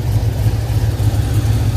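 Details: Chevy V8 with fuel injectors at idle: low, uneven, choppy, stumbling beat with occasional dips. Earlier trouble was debris reaching the injectors, so a fuel filter was fitted; the fuel pump is suggested as a possible cause and the injectors are to be cleaned again. Rough idle, cause unconfirmed.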